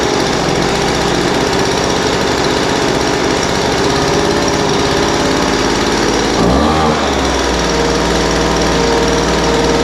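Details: Poulan Pro 200 mph two-stroke leaf blower, received as a non-runner, after carburetor adjustment: idle mixture leaned out from too rich and top end tuned. Loud, steady buzz holding even revs with one brief dip near six seconds, then back on; running smoothly.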